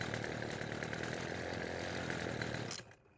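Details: Poulan Pro string trimmer after fixing a pull rope that wouldn't retract: small two-stroke buzzes at a steady, even speed with no stumbling, then shuts off cleanly; no starting or running problem.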